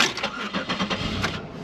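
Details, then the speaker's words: 2004 Chevrolet Monte Carlo at auction lot, over half a tank of fuel, oil overdue for change: starter churns in quick even pulses, then the engine catches unevenly and stumbles; slow to fire and rough on start. "it did sound a little rough when it started though it is turning over a lot to fire"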